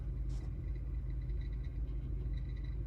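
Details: 2017 Audi Q5 3.0T, blower motor under the glove box on low setting: low steady rumble with uneven light ticking and rattling, as the blower motor's internal bearing has failed; blower motor to be replaced.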